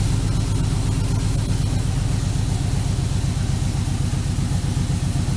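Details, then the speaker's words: 1965 Chevy C-10 with an LS swap and a P0300 misfire code, after new coils, wires and plugs and refitted injectors. Low idle with an uneven beat and occasional skips. The misfire comes from leaking intake manifold gaskets. "Still hearing some missing, but let me let it run for a second."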